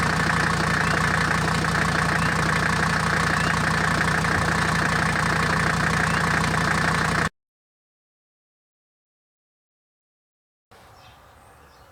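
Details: Mercedes W123, 400,000 miles, after replacing cracked leaking radiator and faulty thermostat that caused overheating: engine fires up and settles into steady, even idle with regular beat, no misses or knocks; overheating fixed; normal idle.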